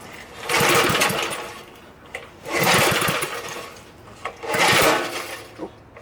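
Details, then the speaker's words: Briggs & Stratton small engine, freed after being locked up and a coil jammed on the flywheel, fires in rough surges about every two seconds with sharp pops between them; backfiring traced to a sheared flywheel key that threw the timing out. "I think with it backfiring we need to take the cover back off and check the flywheel and see if it got out of time"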